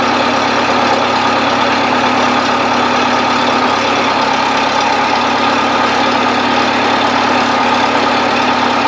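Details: 1970s Bobcat 610 skid steer idling after a choked cold start: steady, even idle with a smooth hum, no knocks, misses or surging. Engine sounds healthy.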